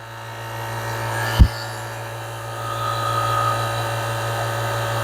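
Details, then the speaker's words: LG refrigerator not cooling properly, condenser replaced after dye revealed a high-side leak: vacuum pump evacuating the system toward 30 gives a steady even hum with one clunk and no knocking or surging, normal pump-down. "so now you're going to evacuate the system um 15 minutes should be fine"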